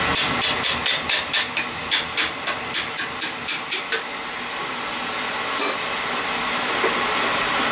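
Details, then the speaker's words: Beckett oil burner reported starting rough about 5 months after service, old ignition transformer from around 2000, sharp ignition ticks then a steady whooshing roar with no stumbling; lights cleanly, spark still good. "It's starting up nice now, so. I don't want to sell you something you don't need. Your old spark is still good."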